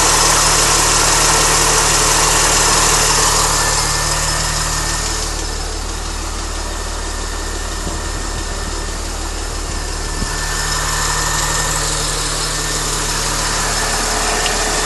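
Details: Mini Cooper S at idle with a light, regular ticking or tappety noise, about three to four per second, seemingly from the timing chain area. It is audible from inside the car with the window open. Cause unknown.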